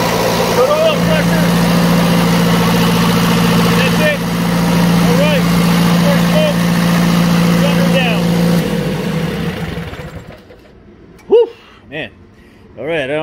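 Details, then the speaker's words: Onan 12.0 DJC diesel genset rebuilt to 15.0 DJC with transplanted 15 kW 120/240 VAC YD generator, first start after refurbish, unloaded, no cooling tins, smoky: steady even drone about nine seconds then winds down; runs cleanly. "if you heard what i was saying but this was the first fire up of the uh 15.0 djc after the rebuild uh man we got a lot of smoke in here"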